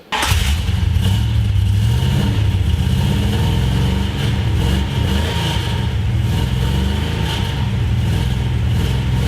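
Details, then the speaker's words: 1973 Plymouth Road Runner big block V8 after fixing header leak, header bolts and intake leak: even, deep exhaust beat through light revs with no ticking or puffing from a leak. Healthy exhaust. "then you guys can just feel the exhaust real quick because it sounds nice now now it's just like one nice"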